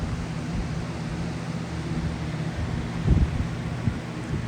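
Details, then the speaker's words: Small Edison box fan with mini KN motor, after grill rattle fixed by replacing grill screws and adding washers: steady, even low hum with no rattle or buzz; fan running smoothly. "The difference is this guy is going, this little Edison, and my son was proud of himself because he heard it rattling, went to the garage, found screws and washers, and replaced the hardware on the grill, and the rattling has stopped."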